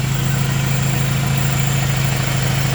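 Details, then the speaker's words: Honda with a swapped F23A, running after main relay replacement fixed a no-start, with everything dry underneath. Smooth, steady idle with an even low hum and no ticks, knocks or stumbles. Normal idle. "So yeah, that's really dope. I'm glad that's running good."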